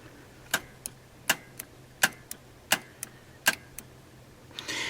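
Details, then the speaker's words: AMC CEC-system carburetor Sol-Vac, engine off, wire tapped to battery: five sharp clicks under a second apart, each with a softer release tick; solenoid pulls in, nudging the push rod, properly adjusted and working. "So I'll grab my wire here, and you'll hear it click when I tap the battery."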